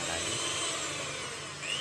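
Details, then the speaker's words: Miyako hand mixer brought in for a rough sound and uneven turning, testing one gear side: steady high-pitched motor whir with an even gear hum and no catching or grinding; this gear still seems good. "ini sepertinya gearnya masih bagus karena putarannya masih normal."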